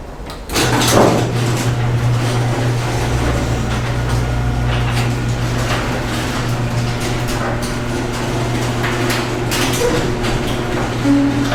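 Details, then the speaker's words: Garage door that squealed loudly when closing, now after spraying lithium grease on the chain and track: a steady motor drone with the door rolling smoothly, no squeal, and only a faint groan near the end. It is much quieter than before. "i didn't hear a squeak i heard it try it it made a little bit of a grown but that was it that's a lot better than it was"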